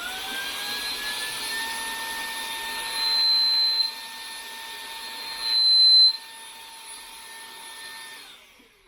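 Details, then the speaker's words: DeWalt small belt-clip vacuum gives a loud, steady, high-pitched whistle that swells when the intake is restricted. The owner says it whistles under slight back pressure; the cause is not pinned down. "don't know if the camera's picking that up, but it's pretty high pitch. Basically, when you got a little bit of back pressure, if you will, it makes that noise, which is it's pretty bad."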